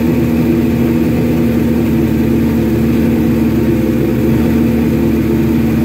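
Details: Suzuki GS1100E with Mr. Turbo, first start in 24 years, couple squirts of starter fluid, on choke; steady even fast idle with smooth low beat, no knocks, misses or rattles, jetting still to be set on dyno, normal running.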